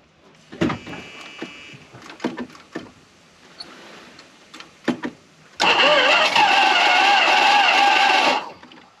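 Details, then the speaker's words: 1974 Dodge Monaco barn find parked 34 years, cranking on boat tank via electric fuel pump to carburetor: uneven cranking with ragged sputtering catches, no run; owner suspects missing cylinders or low compression, spark later confirmed strong. "might be short a couple cylinders [Applause] it's terrible we might not have any compression"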